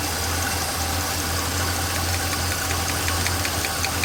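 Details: Chevrolet small-block V8 during valve adjustment, one rocker deliberately loosened: steady idle with a light, quick ticking keeping pace with the engine; valve lash clatter from the loose rocker, fixed by tightening three quarters of a turn.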